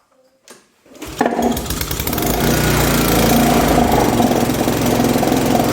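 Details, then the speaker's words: PUBERT wheeled brush cutter, Honda GCV160 engine, after replacing the broken exhaust valve rocker arm, heard near the dipstick opening: catches and settles to a steady, even high idle, no tapping or misfire, sounding normal. "Bueno, no sé si lo pudisteis apreciar bien, pero vamos, suena completamente diferente. Ahora suena como suena un motor de estos normal."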